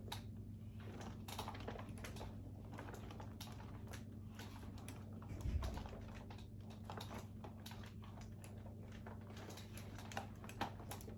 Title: Uppababy Vista - Creaking Noises 2